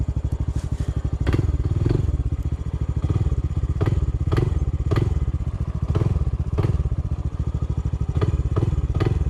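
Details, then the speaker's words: Honda CT125 on a steep uphill trail under power: single cylinder with sharp metallic knocks about every half second; knocks under power and cannot climb, a rod bearing going out in the lower end is suspected, unconfirmed. "i think we got a rod bearing going out on his lower end it knocks when you're under power and it has no power to climb hill"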